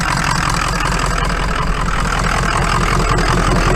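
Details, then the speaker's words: Diesel Powerstroke pickup just started, smoky at idle: loud lumpy, uneven beat about two and a half per second; obviously down a cylinder, owner suspects one weak cylinder, plans to crank it with the engine shut off to check, not confirmed. "any guesses on what's the matter with [Laughter] this it's obviously down a cylinder"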